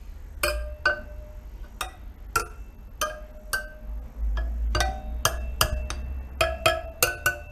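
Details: Suzuki DR200 (likely 2008 DF200) wheel spokes tapped one by one checking for dull ones, three broken or missing found: each tap a clear bright ring, no dull thuds; spokes ringing true.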